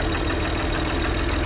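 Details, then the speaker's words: BMW 335i after rebuild, idling with a steady low rumble and rhythmic knock, smoking heavily on revs, no check engine light; spun rod bearing, engine to be rebuilt. "It's knocking. Oh, dude, it's blown for sure. Pretty much, this thing's kind of done."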